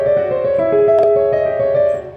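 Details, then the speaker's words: Surface Book on the July 2017 Creators build playing piano through a MIDI keyboard; laptop-speaker notes broken by sharp crackles from CPU spikes the owner blames on battery drivers, which stop when the batteries are disabled in Device Manager. "that would be enough for the piano to crackle now if I actually play it's going to be worse you're going to see more spikes"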